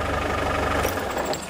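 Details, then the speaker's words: Land Rover Defender diesel at idle after installing replacement fuel cutoff solenoid, wired from starter switch cable via electric fuel pump feed, with mechanical fuel pump: steady even clatter, no odd knocks; fix successful, runs properly. "result and if you can hear that as a mechanical fuel pump really cool and it works"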